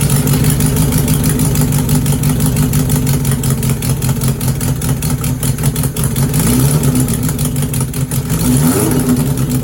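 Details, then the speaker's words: Suzuki GS750 four-cylinder on choke, with a temporary exhaust fitted, idles unevenly with a raspy puffing chuff from exhaust leaks, though it runs on all four cylinders; exhaust leak, exhaust system to be replaced. "So that's good news. Sounds like it's running on all 4 cylinders. Bit noisy with the exhaust leaks, etc., but that's to be expected."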